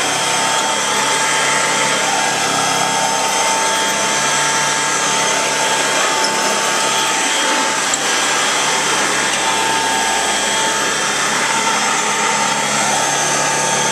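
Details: 1930s Kenmore "Automatic" upright vacuum with a Bertman motor and a stand-in belt, not the correct one: a loud steady high whine with an airy rush and no rattles or wavering. The motor runs pretty well.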